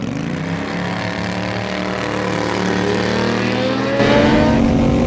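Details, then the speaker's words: Turbo Predator 670cc V-twin dragster with CVT: engine note climbs, then jumps sharply higher as the torque converter driver (primary clutch) blows apart, revs running well beyond the 7,100 rpm pre-turbo end-of-track figure; over-revving from CVT primary clutch failure. "so you can hear that when the primary let loose the engine was spinning quite a lot higher"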